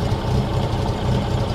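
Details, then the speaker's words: 1913 Bugatti Type 22 Torpedo just started on choke: rough, lumpy, slightly uneven low rumble from the cold engine, running on year-old fuel. Choke amount is guesswork each time, with a risk of flooding; fine for a cold start. "beautiful I'm going to and you never know how much to choke it and if you flooded it or whatever right"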